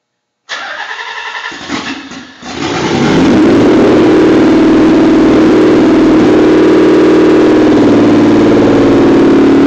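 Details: Nissan Z32 300ZX twin turbo with airflow sensor disconnected and idle adjusted higher: cranks, catches, then steady but slightly uneven lumpy idle; rough idle, cause unclear.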